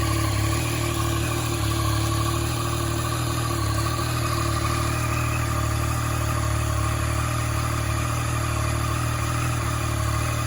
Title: 2014 Yamaha MT-09 Engine noise (Clicking noise)